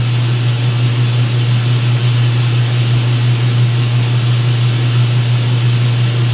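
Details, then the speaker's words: Speed Queen top-load laundromat washer after belt work: steady even low hum with no slap, squeal or grinding as the drum slowly picks up speed spinning water out; normal spin. "Pick up speed as it gets the water out. It takes a while because of all that centrifugal force that water's putting on it."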